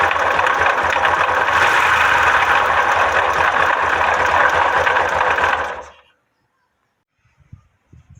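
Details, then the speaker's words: Yamaha 125 (YBR/XTZ) with engine noise, valve cover off to check valve clearance: loud fast even mechanical clatter over idle for six seconds; play found in the camshaft bearing. "e cara aqui eu percebi o folga no rolamento que ele comandava os romanos 1 e diz ferjinho amanhã também não ajuda né"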